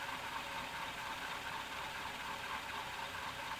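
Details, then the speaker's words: 1991 Canarm PF-36 fan on high speed after cleaning and a drop of 3-in-1 oil: a loud, steady rushing whir with a faint dry tick about twice a second, from noisy, poorly lubricated bearings. "it's really noisy now though and I mean it when I say it's noisy"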